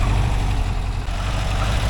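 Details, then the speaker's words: 1982 air-cooled VW Vanagon Westfalia under restoration idling after a drive: steady, even low rumble with no knocks or ticks; smooth, healthy idle. Later checks read about 85° at valve covers, 185° at exhaust pipes. "I think it sounds like a Volkswagen doesn't it"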